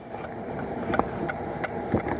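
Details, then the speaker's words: Citroën C4 on a RuidCar shaker rig: short creaks and ticks come and go as the body flexes, two sheets rubbing at a loose spot weld; the noise stops when a hand presses the panel and returns when released. "esse ponto de solda aqui quando a carroceria trabalha o carro está tendo atritos de uma das duas latas"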